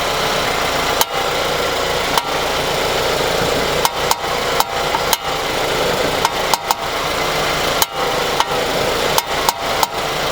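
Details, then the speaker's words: 2022 Jeep Compass, 26,000 miles, magnetic microphone on the brake rotor as the wheel is turned back and forth: sharp, irregular crunchy pops, about a dozen in ten seconds, over a steady idle, audible even without the mic; worn front ball joint. "You can hear it just standing on the side of the car. But I put it there so you could hear just how annoying and how crunchy this is."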